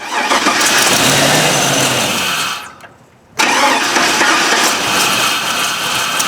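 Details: Truck with LS V8, over 250k miles, first start after replacing intake manifold gaskets for P0171/P0174 lean codes, manifold bolts not yet torqued; loud crank catches, dips nearly silent, then surges to a strong steady roar; healthy start.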